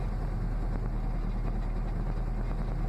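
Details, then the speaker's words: Dodge Ram 50 with tired four-cylinder engine, before plug and wire change, hard cold start after sitting probably over a month: low lumpy idle firing on one then two cylinders; misfire at idle, plugs suspected. "there we go starting up to the Goldilocks here we're on one cylinder Oh little more gas don't stall spark plugs aren't quite firing there's two cylinders"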